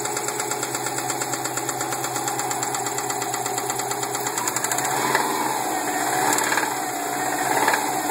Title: 02 wrx with a spun bearing